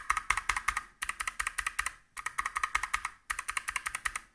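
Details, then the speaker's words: Motospeed CK61 keyboard with Kailh BOX White switches, standard keys without o-rings: bursts of fast sharp clacky keystrokes, hollow plastic rattle of keycap on switch and plastic hitting metal plate; keyswitch clatter without o-rings. "Слышно только, как пластик дребезжит и бьется об пластик самой клавиши, самого свеча, и как пластик лупит об металлическую подложку."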